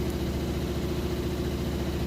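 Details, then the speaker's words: Like-new Maytag Bravos HE top-load washer, heavy-duty cycle with warm water and super heavy load, high-speed spin around the 4-minute mark: even low drone, steady hum, no thumping or knocking; stable, balanced, normal spin. "it sounds great it's nice and stable it's not jumping around or anything like that"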